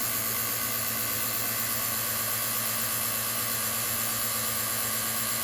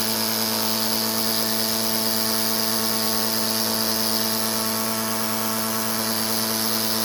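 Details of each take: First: Vacuum pump with a new replacement mechanism on its one-hour break-in run, inlet capped so it pulls vacuum on itself. A steady, even high hiss and hum with no knocking or rattle; running smoothly. The pump got hot and misted oil afterwards. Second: Vacuum pump with a newly installed replacement mechanism, running while its mechanism bolts are being tightened. A steady pump hum turns strained and heavier near the end: the bolts are overtightened and the pump starts seizing. The fix is to back the screw off to just past finger-tight.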